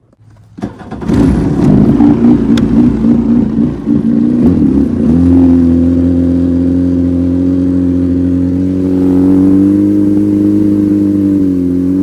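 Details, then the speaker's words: 1996 Yamaha Waverunner III two-stroke after replacing a salt-damaged, cavitating jet pump, started with a little choke on the lake: crackly start, then an even buzzing note that lifts with throttle, smoother than before; normal running. "it seemed to feel a lot smoother than what it did before"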